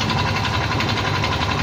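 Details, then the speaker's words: Yamaha Mio i 125 scooter, 2,641 odometer, before repair: fast steady hard metallic knock from the bottom end at idle; worn connecting rod and crankshaft bearings with crank play, fixed by replacing crankshaft and bearing. "Bale ang Pinalitan ko dito sa motor na to M3 na ginawa natino itong Crank shop tapos may tama na rin yung bearing may halog na rin to"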